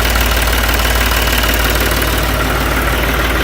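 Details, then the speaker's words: Ranch diesel tractor with hard starting, fired after hammering the starter solenoid: settles into even steady idle with regular light clatter, no misses; engine healthy. "I just took a hammer and beat on the starter and the solenoid."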